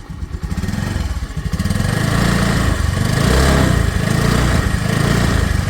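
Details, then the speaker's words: 2018 Honda Dio scooter, second owner, 35,246 km: blips up and settles, revs rising cleanly with no surging, shaking, misses or rattles after starting; healthy revving. "ഇപ്പൊ sound നോക്കുകയാണെങ്കിൽ വളരെ smooth ആയിട്ട് തന്നെ ഇരിക്കുന്നുണ്ട് പ്രത്യേകിച്ച് കുതിച്ചുചാട്ടം വിറക്കലും കാര്യങ്ങളും ഒന്നും സ്റ്റാർട്ട് ചെയ്തപ്പോൾ ഉണ്ടായില്ല വേണമെങ്കിൽ ഒന്ന് റൈസ് ചെയ്തു നോക്കാം"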